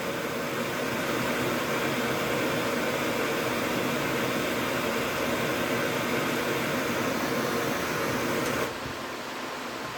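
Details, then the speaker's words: DA Integra electric cooling fan, now on a new 30A relay triggered by the factory OEM fan switch, replacing a manual switch used for 9 years; switch heated with a torch; steady even whoosh then drops away; working as intended. "and as you can hear the fan is now on it's working working like it's intended"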